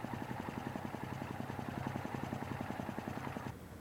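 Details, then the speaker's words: Multi-cylinder motorcycle with out-of-sync carburetors, at idle: rapid, uneven knock pulsing about three to four times a second. One cylinder works harder than another, unevenly loading the valve train, similar to a disconnected spark plug. "when the carbs are out of sync one cylinder is working harder than another causing uneven loading of the valve train you could hear a similar sound if you disconnected one of the spark plugs"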